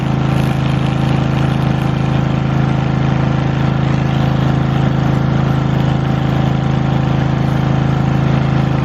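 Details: Lincoln Weldanpower 150 welder/generator bought cheap, started with fuel on and choke after new fuel line, air filter and oil change still pending: steady, even single-cylinder thrum at constant speed, no stumbles or knocks; normal running, machine works.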